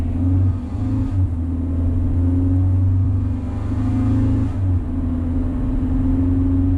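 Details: 2000 Honda Civic under normal acceleration, before the added resonator, with eBay header, test pipe replacing the cat, OE piping and OE-style muffler. A buzzy, raspy exhaust note sharpens under harder throttle. The rasp appears above 2,800 rpm since the cat was removed.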